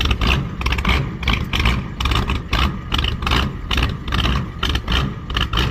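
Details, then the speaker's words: 1985 Ford F-250 6.9 IDI diesel, long sitting, started with oil checked: lopes at idle with uneven pulsing chuff about twice a second, smoking; rough idle after storage, owner suspects something fuel-related. "I don't know what's going on, but I like it. Smoke. I think it's something to do with all of the fuel."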